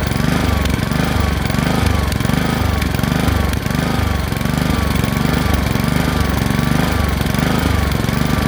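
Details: Honda HRX217 mower, before repair: engine speed rising and falling in quick regular waves, surging; fixed by cleaning the carburetor.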